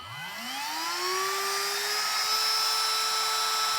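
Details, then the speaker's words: Newone HT8001B1 battery rotary tool (max 25,000 rpm) switching on; high whine climbs smoothly over about a second to steady top pitch with no crackle; soft start avoids commutator arcing, extending motor and battery life. "on you'll hear it's a slow start and a slow finish so it means it doesn't arc the commutators it'll help make your motor and your battery last longer but mainly your motor"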